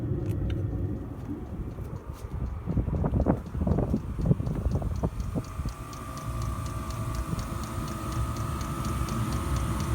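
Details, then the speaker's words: 5kW Chinese diesel heater on the 3-pin heat setting, outdoors at about 9–10 °C, just after startup: a steady, low combustion roar with quick, even fuel-pump ticking. It is burning normally with only a tiny bit of smoke and heat coming out. "You can hear it kicking away merrily."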